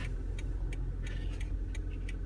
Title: 2010 Prius - Brake Noise